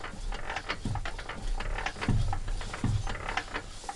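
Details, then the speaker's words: Petter A1 engine being restored, which had water in it: a slow, rough scraping grind about twice a second as the piston drags on a badly scored cylinder bore that needs replacing. "I'm not sure what the other board's like, and you can hear it. You can literally hear it grinding against there."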